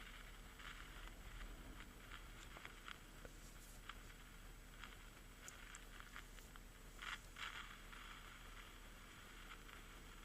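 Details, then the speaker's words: EverReady N3 radio being tuned: only faint, irregular crackle over hiss and no station received. The amplification stage probably works, but there is no reception. "there's faint crackling coming from the speaker. So one conclusion that we can already make is that the amplification stage of the radio probably works. However, when I tune the radio, or at least I try to tune it, I don't seem to be getting any radio station. Only that same faint crackling."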